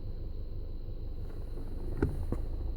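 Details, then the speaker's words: Skoda Octavia A7 1.4T six-speed manual, cold idle, clutch pedal released: low uneven rattle with sharper knocks, stops when pedal pressed; clutch replaced, which cured it. "стук сцепления на холодную. Это должно быть слышно. Нажимаю на сцепление, звук пропадет."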